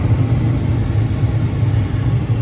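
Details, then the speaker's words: 30-year-old (1992) Carrier propane furnace after replacing a bad circuit board that was sending no voltage to the gas valve: the burners light into a smooth, even low roar that holds steady. It ignites normally after the repair. "this system's a propane system the burners are going to be a little bit more aggressive it's working"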